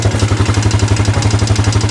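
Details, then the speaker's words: Yamaha Jupiter Z1 with rough engine noise and top speed only 60-80: loud, lumpy idle with hard regular thumps about ten per second and rattling clatter; running very rough inside, cause suspected, not confirmed. "memang bunyinya sudah parah"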